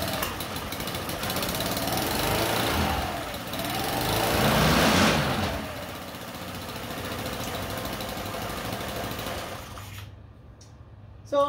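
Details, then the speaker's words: GY6 Chinese scooter engine on a trike with a newly fitted full muffler replacing the open pipe, plus cooling shrouds and fan: small single buzzes evenly, rising and falling smoothly with throttle, then shuts off; much quieter, normal running. "you can see it's much quieter now compared to it just having an open pipe on there so that's good it doesn't sound too bad"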